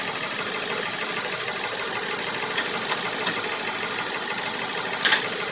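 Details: 2011 Ford Fusion after thermostat replacement for P0128 and coolant refill, warm idle: even steady idle with light regular tick, no stumble or knock; engine sounds healthy.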